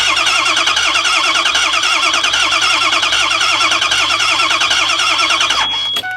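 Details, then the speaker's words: Ford E350 6.0 diesel bus: steady starter cranking at about three to four beats a second, never firing, then stopping; crank no start with RPM signal but zero oil pressure, so no injection control pressure for the oil-driven injection system. "we have no oil pressure guys no oil pressure at all well this fuel system runs on oil pressure without low oil pressure to drive the high the high oil pressure side you cannot run this fuel injection system"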